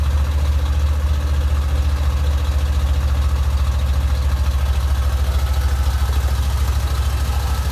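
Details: 1987 Corvette started after its flooded cylinders were blown out; deep, uneven, lumpy idle that wanders and stumbles, then dies off throttle and floods again, fuel seeping past the rings into the oil per owner.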